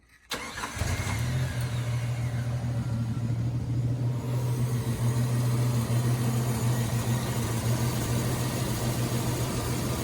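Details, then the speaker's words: Jeep YJ restarted warm after new intake and exhaust manifold gaskets and a new water pump: catches right away, then a slightly sputtery, uneven idle from vacuum leaks that smooths out as it warms. "Still having a little bit of problem with some vacuum leaks. As you can hear here, it's a little bit sputtery, but it always seems to work out as the engine warms up still."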